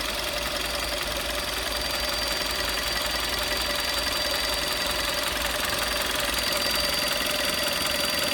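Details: 2011 VW Golf VI Style 1.4 TSI 90 kW (122 PS), engine warm at idle: constant high-pitched whistle in the engine bay, heard only near the water pump; source not confirmed.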